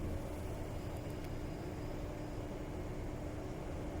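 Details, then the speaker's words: SUPERCAN laser panel cooling fan switched back on from standby (fan turns off below 35 °C diode temperature): quiet constant hum with steady pitch and no rattle or grinding; fan running normally. "This is STBY, it's standby. Standby is the fan state. Let me turn it off. Turn it on again."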